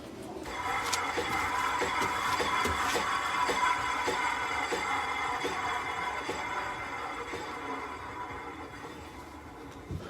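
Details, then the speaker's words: 2.5 TDI VW Transporter Caravelle, rear passenger side wheel turning: steady light clicking as the brake disc knocks the pads each revolution, from pad imprint after long parking with handbrake on; discs should be replaced. "yeah so you can hear that clicking sound and that's that sound of this clicking knocking the brakes the pads every time it's going around"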